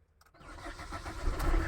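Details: Suzuki Swift Dzire that had been cranking but not starting, with a blown fuse named as the issue: a brief crank, then the engine catches and settles into a steady idle that builds in loudness; it starts and runs normally.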